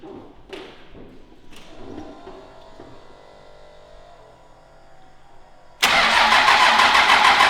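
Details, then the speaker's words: 12V Cummins diesel just after swap to Stage 2 cylinder head with upgraded valve springs and valve set: catches immediately and settles into a steady even idle, no stumble, no exhaust smoke; normal start and idle. "Sounds good. It's running pretty good. The valve set job is all right. We got no smoke out the exhaust."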